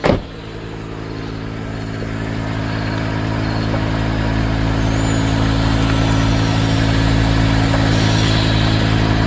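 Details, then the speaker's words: 2011 Mercedes GL450, engine idling, front end low and bouncing: steady droning air suspension compressor runs on without cutting out, trying to raise the vehicle, which doesn't rise; a leak is heard, suspected leaking air strut. "I think the air compressor is somewhere here and I can hear it running so the air compressor is running trying to raise up the vehicle but the vehicle is not going up"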